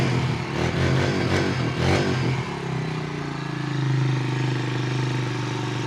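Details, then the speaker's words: 2006 Honda Rancher 350 4x4 ATV single-cylinder engine after a new cylinder and piston and a valve adjustment; it blips the throttle a few times, then settles into a smooth, even idle with the earlier strange noise and smoke gone. "Cambiamos cilindro y pistón nuevo. También ajuste válvulas, pero se me olvidó grabar. En otro video se los muestro. Ya no salió uno y el motor se escucha bien."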